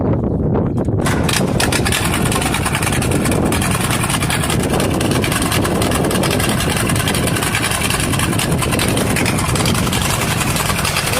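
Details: Allis-Chalmers CA tractor, first start after its Marvel-Schebler carburetor was rebuilt and cleaned: it catches after a short crank and runs rough with irregular stumbles. It starts well with good oil pressure but misfires and smokes a little.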